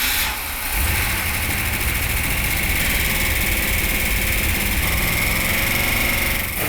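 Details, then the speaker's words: Freshly built 340 Six Pack V8 in a 1971 Dodge Demon, 4-speed, first start after a part was turned 180 degrees and reinstalled; manifold paint burning off; steady, even idle with no knocks or ticks; runs great, no leaks. "okay so the engine sounded really good they all route a little bit when they first start out but it didn't take long to quiet down once it warmed up it ran great and no leaks"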